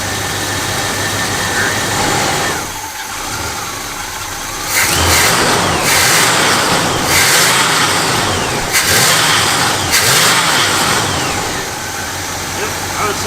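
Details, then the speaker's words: Chevy C10 V8 just fitted with a new reman Quadrajet carburetor: catches and settles into a steady, even idle, then revs cleanly in blips and drops back smoothly; runs fantastic. "say that runs fantastic."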